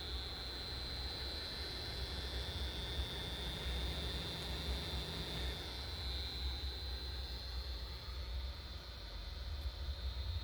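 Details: ASUS ROG Strix RTX 2080 Ti graphics card, trouble-free for a year, now makes a steady high-pitched whine over a constant coarse grinding buzz; owner suspects a failing fan.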